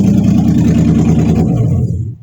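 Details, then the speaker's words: 1953 Ford Customline with 350 Chevy swap, freshly fitted cleaned 600 Edelbrock carburetor, cold: even, brisk fast idle on choke, run 30 seconds at a time before shutdown; normal choke fast idle. "okay that's half that's a fast tile because of the choke but I have to put Andy Cruise in and I got to put the the hoses on so 30 seconds at a time but it seems to run this one"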